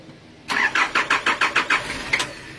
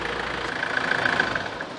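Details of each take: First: 1993 Nissan Terrano diesel being diagnosed for hard starting. The starter spins it through about eight even compression strokes, roughly six a second, then quits without catching: fuel starvation, with water likely in the fuel filter. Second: 1993 Nissan Terrano diesel with a hard-starting complaint, idling after the feed pump was bypassed by joining the fuel lines. It starts at one click; the feed pump's one-way valve likely stays open and lets diesel drain back to the tank. Steady idle clatter, no misses.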